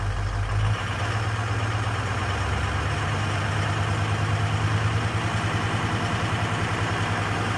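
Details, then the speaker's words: Ford 6.0 Powerstroke diesel under 2000 rpm at light throttle: deep drone with uneven pulsing beat; IDS cylinder contribution shows cylinders 3 and 5 dropping, misfiring; FICM voltage also checked. "You can see there that it's dropping on 3 and 5."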